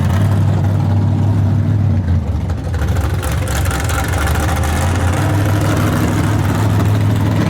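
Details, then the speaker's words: S10 V8 after new plug wires, new plugs and rerouted fuel line: loud, deep roar under throttle that stumbles and breaks up mid-pull, crackling; misfire, owner rules out carburettor and fuel system, cause unconfirmed. "now finally Oh crackling again here cracklin"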